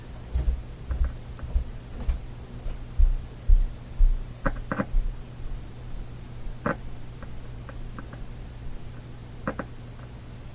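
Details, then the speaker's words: Canadian General Electric G-40 tube radio warming up, original power-supply filter capacitor suspected, cold solder joint found: steady low buzz under handling clicks. Mains hum. "there's a bit of a hum when the the side operator has a bit of a hum i think i'm going to replace this guy"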